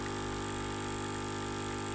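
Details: Nivona espresso machine after fix for water flow through brewer (gasket spacing brew screen from head): steady even pump hum without crackling or straining; normal pump operation.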